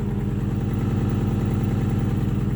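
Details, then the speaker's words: 1995 Acura TL idling just after a slow start, warming up: even idle with a loud, throbbing low drone pulsing steadily from the exhaust; the annoying noise is the exhaust. "started a little slow but at the end of the day still start something a power steering with that warm-up for a little bit that that noise you're hearing is the exhaust"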